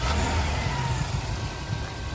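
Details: 2002 GMC Yukon XL, 5.3 Vortec V8 with original engine and transmission at over 315,000 miles, running warm with a steady, deep low rumble and no ticking or knocking; runs under 210 degrees.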